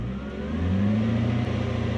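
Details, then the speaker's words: Toyota Soarer/Lexus SC400 UZ V8, sat a few days, stalling, warming up after recent disassembly: idle sags, surges and dips, not holding steady; owner suspects sticky stepper motor bearings, possibly an air leak. Unstable idle, not confirmed. "however in this case my thoughts are that the stepper motor bearings are getting a bit sticky and they were actually on my list of hey we should just do them anyway"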